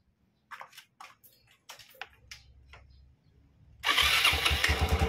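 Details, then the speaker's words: Yamaha Xeon carbureted scooter after a loose rear CVT part causing a "jing-jing" noise was found and tightened. After handling clicks it starts and runs with a steady, even drone; the belt drive sounds quiet and healthy. "menimbulkan suara bising, teman-teman; Ternyata itu longgar. Sekarang sudah lancar."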